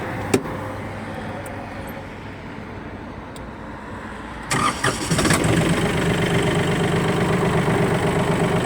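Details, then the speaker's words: Hinomoto N249 mini tractor with reverse gearbox, 800 hours: a brief crank, then it catches instantly ("from half a turn") and settles into an even, steady diesel idle with no misses or knocks. Normal start and idle. "двигатель запускается с полоборота работает ровно"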